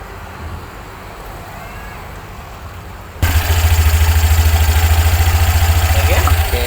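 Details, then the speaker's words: 2023 automatic 110 cc scooter after CVT repair, broken rollers replaced and block cleaned, CVT cover off: engine catches and settles to an even, steady idle pulse about three per second, no rattle or grinding from belt drive; smooth. "Setelah hidup, suaranya halus."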